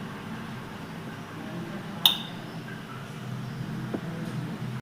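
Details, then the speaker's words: Refrigerator compressor with relay and overload protector (OLP), switched off and immediately back on like a sudden power cut: one sharp click through low hum as the OLP cuts power because pressure is too high for the compressor to start; repeated trips eventually fail the OLP. "கேட்டிருக்கும் பார்த்தீங்கன்னா, இந்த sound எதுல இருந்து வந்துச்சுன்னா, இந்த ஓஎல்பியில இருந்து தான் வந்துச்சு. அழுத்தம் அதிகமாகி கம்ப்ரஸர் ஓட முடியாமல் திணறிக்கு இருக்கையில் இது என்ன கட் ஆஃப் பண்ணி கொடுத்து,"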